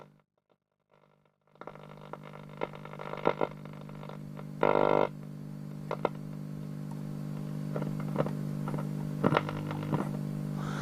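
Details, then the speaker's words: 1944 wartime civilian valve radio, capacitors replaced, rectifier valve suspected intermittent and since replaced: constant hiss and hum with irregular crackles and pops, RF-like noise and no station received; cause unconfirmed. "now there's a hum there all the time now can you hear that"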